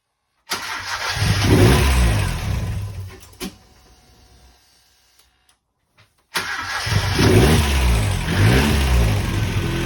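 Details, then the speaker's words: Ford Sierra Cosworth 2WD with new engine mounts and an alternator fitted. The engine catches straight away and revs cleanly, is shut off, then restarts promptly and idles evenly while the car shakes heavily on the mounts. A normal start. "Car is shaking like mad with them new mounts."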